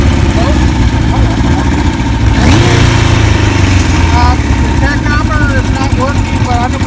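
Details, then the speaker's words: 1991 Kawasaki KZ1000 police bike, 52,000 miles, fitted with 1000 LTD carbs, new oil, filter and plugs: heavy lumpy four-cylinder rumble rising with throttle blip, settling unevenly; runs rough, needs tuning. "it's running kind of rough you can go fine-tuning"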